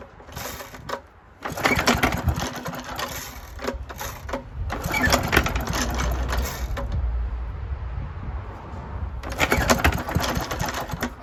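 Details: 1972 Hayterette mower, very worn, with hundreds of hours cutting a paddock last year; cold start after sitting six to seven months. Several rough recoil pulls sputter without catching: hard starting.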